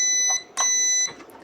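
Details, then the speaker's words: Russell Hobbs 17888-56 panini press with no power, multimeter in buzzer mode on the plug's neutral terminal: two clean high beeps, each about half a second, showing continuity, so the plug fuse is fine; the thermal fuse is tested next. "Okay, neutral punya terminal guna mode buzzer."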